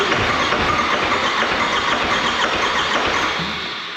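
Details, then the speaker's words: 4BT Cummins diesel in a Ford Bronco, just after its first start, with oil pressure up: hard, clattery, rough running with a sharp rattling knock over the idle. Suspected fuel knock, as if over-fuelling; unconfirmed. "seems like it's fuel knocking I can't put my foot on the gas yeah it acts like it's over feeling or something"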